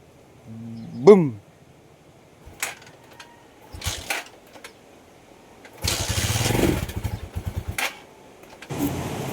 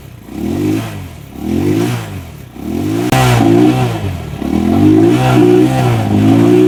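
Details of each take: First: Rusi Macho 175 motorcycle after spark plug replacement: engine catches for about a second with a rising note then dies, only clicks follow; spark now good, stalling traced to water in the tank and carburetor. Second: Rusi Macho 175 single-cylinder, after water in the tank and carburetor was drained: it blips up and settles back in repeated rev bursts, picking up cleanly with no misfire; sounds healthy.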